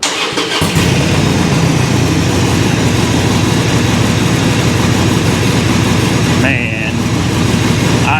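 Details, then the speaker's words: 2021 Harley-Davidson Road King V-twin started in neutral: quick crank, then a loud, lumpy, deep loping idle that is steady with no knocks or misses. The owner calls it shaky and loud; this is a normal idle. "this bike she's a shaky beast let me tell you all right so i'll go ahead and shut it off because i know she's loud"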